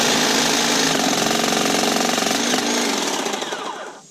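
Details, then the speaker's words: Kobalt 40V Max cordless hedge trimmer, rated for 3/4-inch cuts and getting worse with use, cutting 1/4-inch stems. Rapid thumping and banging at roughly four knocks a second as the blades bite; the motor drags and nearly stalls: bogging under load. "but as you come into it, you can hear the trimmer like bang and thump real bad, and then it'll stall it"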